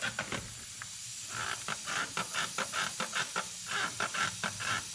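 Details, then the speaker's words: Boost leak test on a turbo engine, intake pressurised and joints sprayed: sharp spitting hiss in quick pulses, about three a second; leak at the intake near a clamp, up pipes seem good. "okay so that's around ery intake over here it's leaking some"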